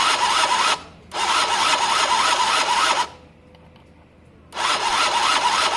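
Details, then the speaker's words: Gilera DNA 50cc scooter, cranked on ignition with plug out for spark check: two raspy starter bursts, never firing; no spark seen, felt or heard though it sparked days earlier; owner wonders about CDI, cause unconfirmed. "Still can't see spark, guys. Nope, can't see it, can't feel it, can't hear it. Nope, no spark."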